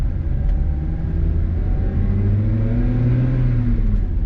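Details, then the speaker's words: Mazda NB2 Miata, 100% stock engine and exhaust, five-speed manual: deep, smooth exhaust note climbing evenly as revs build, somewhat buzzy at higher rpm; clean, healthy acceleration. "This is pretty stock. This engine here is a little bit buzzy though, especially in the higher RPM. And it runs pretty good."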